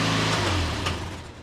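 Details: 2008 Toyota Yaris exhaust after temporary fix with vice grips clamped on the rattling heat shield: a quick blip of revs settling back down, no tinny buzzing from underneath; heat shield now quiet.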